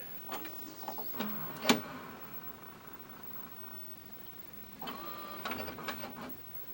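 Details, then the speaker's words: Admiral TV/VCR combo, model GOJ 12311, made June 1998, inserting a tape: loading motor whirs and labors in short bursts with clicks and clatter, tries to pull the tape in, then ejects it; suspected misaligned belt and chewed worm gear, not confirmed. "Ooh, sounds like it's laboring. Yep, kicks it. It'll kick it out. Yeah, it's definitely laboring, and it tries to pull it in."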